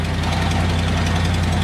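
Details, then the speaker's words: Truck at first cold start of the morning, idling with a fast, even tick over a deep rumble that is already fading; possibly an exhaust leak rather than a lifter tick; a separate rattle is unrelated. "the truck that's the first start of the morning and it's already going away right"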